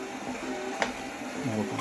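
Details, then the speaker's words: Torneo Inita T-150 treadmill at 4 km/h, cover removed, after cleaning: short creaky squeak on each left-foot step, right foot silent, over soft belt tick; squeaking deck, later cured by tightening loose deck screws on the left side. "Четыре километра в час то же самое абсолютно на правый правая нога наступает тишина левая нога характерный скрипт"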